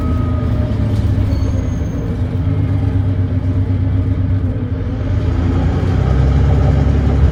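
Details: First Glasgow Volvo B9TL Wright Eclipse Gemini bus, Volvo D9B 9.3L Euro 4 engine, ZF Ecolife 6-speed gearbox: heavy diesel pulling hard with a coarse rasping chuff under load; suspected exhaust leak.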